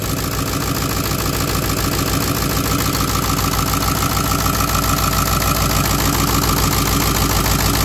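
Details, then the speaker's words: Ford 7.3 Power Stroke diesel in a wrecked California Excursion, fired right up after starter bypass: even, steady idle clatter about 207 beats a minute, no misses or knocks; no smoke or blow-by, little vapor; healthy. "you take this guy and touch it to positive no smoke fires right up no blow by which is a big big deal for"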